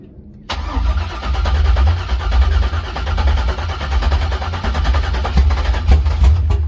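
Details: LS-swapped Chevy Camaro V8, first start after rebuild, no coolant or transmission fluid yet so run briefly: brief crank, catches and settles into deep, steady V8 burble, even firing, no knocks; normal start and idle.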